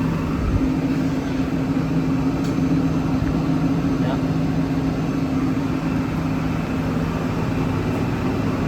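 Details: Nieco gas burner that wouldn't light, after replacing a bad ignition module that wasn't energizing the gas solenoid: a steady gas roar with a low even hum, no sputter or cutting out; lit and holding normally.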